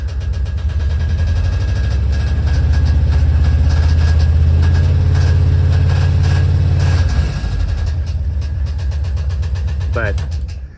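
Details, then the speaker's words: 1968 VW double cab Transporter, air-cooled engine, revived after 5 years stored, idling: light knock comes and goes, then engine shuts down; owner suspects stripped cam gear bolt holes letting the gear rattle, quieting under load; rocker arms tight, no smoke, starts easily. "o, I'm thinking that it might be this uh stripped bolt holes on the cam gear and the cam gear is rattling and whenever there's a load, it pins it to one side and uh keeps it tight."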